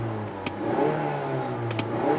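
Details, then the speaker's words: 2016 Mazda CX-9 Signature, new 2.5 L turbo Skyactiv four-cylinder, push-button start: quick crank, clean catch, brief rev rise, then quiet, smooth, typical four-cylinder idle with no knocks or rattles; normal start and idle. "It makes the typical 4-cylinder noise. It's very smooth and quiet though, but we'll go into the test drive later on."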